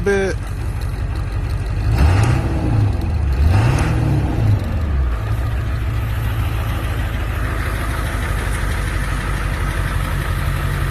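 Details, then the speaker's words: 1999 Ford F-350 7.3 diesel, ZF6 manual, about 299,000 miles, resealed engine, new water pump, thermostat; idle rises cleanly through two quick revs and settles smoothly, no knocks or misses; healthy. "water pump is new thermostat is new it sounds healthy very healthy truck"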